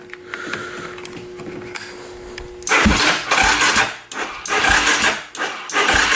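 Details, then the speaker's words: Polaris Predator 500 quad with a weak battery after five minutes' charging and charger voltage raised: uneven cranking bursts, starter labouring, nearly catching once but not running; crank no start, weak battery suspected. "Sound like we had it for a second there. Let's turn that off before that thing blows. Oh, battery sucks."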